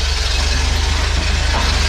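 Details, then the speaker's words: 1977 bus automatic, engine revived after 30 years of sitting, idling rough and low: steady low rumble with a fast even pulsing throb underneath; terrible noise, transmission suspected, timing and choke still to check. "trans is making a noise it would just help if we could drive it maybe it'll go away you can always hope and break in on the motor is kind of rough when you're well constantly it's idling a transmission noise is terrible"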